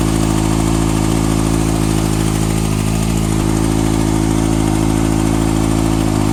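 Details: 2014 Kawasaki ZX-6R ABS, 8000 km (last service at 5.5k), Graves slip-on exhaust: steady inline-four idle with a light quick tick about two or three a second, source unclear.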